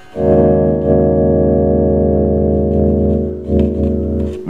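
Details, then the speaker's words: 1969 Shure Vocal Master PA amplifier after cleaning scratchy pots: sustained organ-like chord plays steady and smooth, no crackle or scratch. "nice and clean it's a clean machine so that's kind of quick little fix which I love those types"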